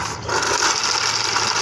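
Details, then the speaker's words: Harsh, steady rasping growl from the CVT of a Suzuki Spin scooter, heard only with the clutch housing fitted; worn clutch bearing, the clutch boss neck is very loose and wobbling. "jadi kalau dipasang suaranya ngorok"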